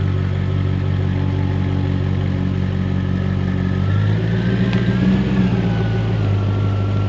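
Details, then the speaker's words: Jaguar XK8 V8, just revived from a no-crank, no-start condition with many error messages, battery at 12.8 V. It catches and settles into a steady, even low idle, speed rising slightly then holding, no misfire or knock. "I'm just so pleased right now that it's working."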